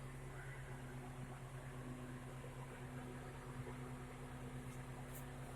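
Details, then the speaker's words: Car AC with compressor relay pulled to simulate failure: only soft steady blower hum and low drone, no compressor clutch click or load change; compressor not engaging with relay removed. "chỉ toàn cầu là hoạt động nhưng máy nén không hoạt động"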